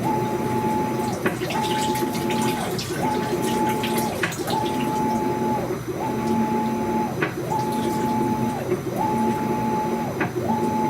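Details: Brand-new Maytag washer during agitation: motor hum rising and falling each stroke, about every 1.5 seconds, with a sharp click at each reversal; cause unknown.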